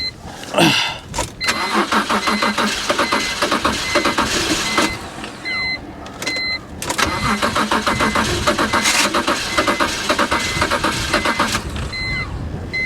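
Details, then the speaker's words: Salvage Audi A6 wagon listed as run and drive, with heavy stop leak in the cooling system: repeated cranking bursts catch into a ragged, uneven run that stumbles and dies, with chimes pinging over it. Head gasket failure suspected, compression in the coolant. "i'm betting head gasket she's not happy dang hey just trying to get it to run is uh well okay"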